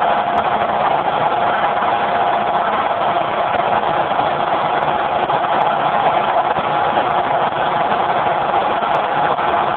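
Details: Generator converted to natural gas with solenoid safety shutoff valve, phone mic with poor audio: steady even drone, constant pitch, no misses or knocks; runs smooth, normal running.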